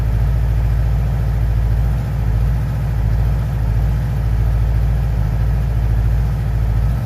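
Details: 2011 Yamaha R6 at idle: steady low idle with soft irregular puffs from the exhaust every second or so; exhaust popping, cause not yet clear.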